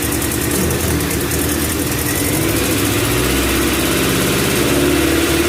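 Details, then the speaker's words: EF chassis, first start-up after repair work: loud rough idle that hunts and wavers unevenly while the distributor is turned back and forth to smooth it; dirty IACV (IVAC) suspected, cause unconfirmed. "all right guys it's idling kind of rough kind of moving the distributor back and forth to get it to smooth out"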